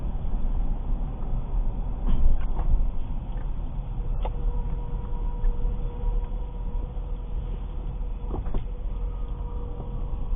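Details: 2006 Ford Escape Hybrid: thin, steady squeak above heavy low rumble inside the moving vehicle, with a few short clicks; unidentified squeak, does not happen when turning right.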